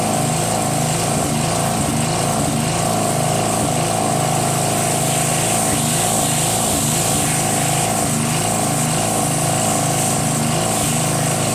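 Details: Northern Hydraulics pressure washer, Briggs 3.5 HP, sat 8 years, started with starter fluid, clogged wand tip cleared: steady constant-speed drone with hissing spray; runs and sprays normally, pressure weak.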